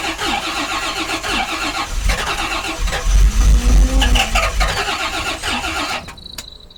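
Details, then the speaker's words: 1986 Rolls-Royce Silver Spirit II, parked since 2022, fuel pump running: starter churns steadily about three and a half turns a second for six seconds, never fires; later runs, owner notes bad fuel still in it. "She wants to go. Come on. She will go. We did drive it yesterday. I refuse to start it off the old start, you bastard. Come on. It's like trying to cold start a yank tank."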